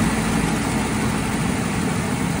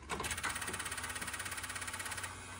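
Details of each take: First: Engine whose cracked block was repaired with JB Weld, started after the battery had charged for a week: heavy, steady low rumble with an even beat and no knocking; running smoothly so far. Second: Engine with cracked block repaired with JB Weld, battery charged for a week: rapid even chattering pulses, about eleven a second, through the whole crank without catching; odd cranking sound, cause unknown.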